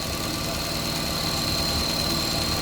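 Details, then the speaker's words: 2014 Chevrolet Cruze, hot, at idle with codes P0171, P0106 and P0496. A faint, high, thin hiss rides over the engine note: a vacuum leak through the dipstick tube, whose seal is missing. Blocking it drops the fuel trims, and the seal was refitted. "So now you can see the fuel trim will start to drop, and it's dropping because I have closed the dipstick."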